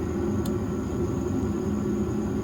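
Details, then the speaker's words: Trane S9V2 furnace after circuit board replacement and seized inducer motor broken loose: steady even rumble with faint constant high whine, no knocks or scraping, blower ramping up; normal smooth running. "I hear the blower ramping up. Good to go. Either way, they have heat, and crisis aborted."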